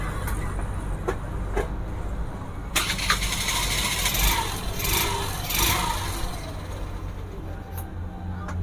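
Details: Hero Duet scooter, self-start problem fixed after fitting the chamber and replacing damaged starter clutch parts (wrong part number had been used): starter engages cleanly, engine fires and holds a low steady idle amid shop clatter.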